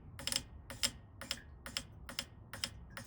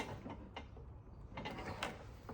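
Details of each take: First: Failed K20 Honda Civic race-car injector fired straight off battery on the bench: sharp regular clicks about twice a second, then scattered taps; it works, but its damaged coil resistance makes it draw more than the test driver's current limit. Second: Honda Civic K20 race-car injector on a bench rig, supply about 12.8 V: faint crisp ticks, unevenly spaced, over quiet bench hum; the injector fires internally and cleanly, though not loudly.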